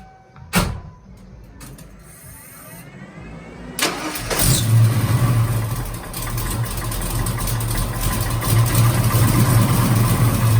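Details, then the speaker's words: Foxbody Ford Mustang fuel-injected V8 after fitting a new Ron Francis injection harness, suspected part of earlier problem: quick crank, fires and holds fast cold high idle with steady, slightly lumpy rumble; cold, idle adjustable. "ah she's cold though it's cold though yeah we can adjust it"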